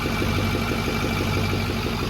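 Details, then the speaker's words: 6.4L diesel truck, first fire-up: quick steady flutter over smooth diesel idle, the unplugged fan clutch connector tab flapping against the fan. "forgot to plug in a fan clutch that's my fault too but we need to pull it around and you can probably reach through the fan I think great because I could hear the tab down there I was like what the heck is flapping around down here and realize it's that"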